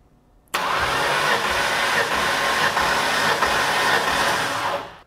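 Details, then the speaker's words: 1993 Ford Mustang Foxbody 5.0 compression test, second run on the same cylinder in park: quick, even cranking of about four beats a second with no stumbles; close to 90 psi on the first hit: normal cranking. "So, it came up close to 90 on the first hit, and I would have called that like 125."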